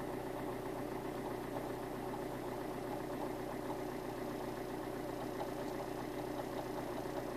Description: Alfa 159 JTDM Lusso developed rattle/chattering noise. Goes away when pressing the clutch pedal at about 41 seconds in.